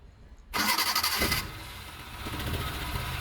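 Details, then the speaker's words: Maruti Suzuki Omni with a no-start complaint, after timing belt replacement and timing setting: brief cranking, then it catches at once and settles into a steady idle without stumbling. Starts cleanly with no complaint. "பாத்தீங்கன்னா பக்காவா start ஆயிடுச்சு. எந்த ஒரு complaint இல்லாம போகுது."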